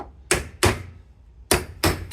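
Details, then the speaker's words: Peugeot Boxer Auto-Sleeper camper, fitting new rear wheel bearing after droning noise: five sharp hammer blows on the race, later ones turning solid and dead instead of hollow, showing the race has bottomed in the hub. "Yeah, you can hear it's changed and now it's a solid noise at the bottom."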